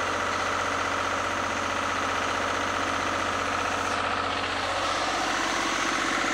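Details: Lister diesel generator after its fuel system was plumbed and a leaking fuel filter resealed: slow, even diesel thump of about four beats a second, steady with no misses or knocks. It runs healthy.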